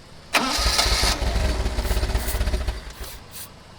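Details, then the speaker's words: 1979 Lotus Esprit, carbureted: it catches with a burst, runs ragged and uneven for a couple of seconds, then fades and dies. There is fuel pressure, but the glass fuel filter shows air bubbles and little flow, pointing to fuel starvation. "no we have fuel pressure what's that is that filter empty that glass fuel filter yeah i mean i'm seeing air bubbles but i'm not seeing a lot of flow"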